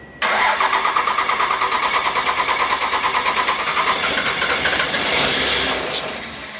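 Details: 1957 big rig swapped to a 650hp Cummins diesel, injector lines removed for AFC fitting and being bled: starter grinds about three beats a second, engine never catches; air in injection lines.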